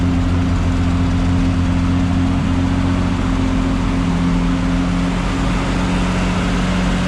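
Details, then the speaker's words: 1974 Triumph TR6 with a freshly rebuilt engine, cold idle just after a jump-box start, heard from outside the car: steady, even idle with a firm low hum and a constant note throughout, no misses or knocking; healthy. "All right, we're gonna start the car from standing outside. We haven't run the car yet out on a drive, so this is a cold start."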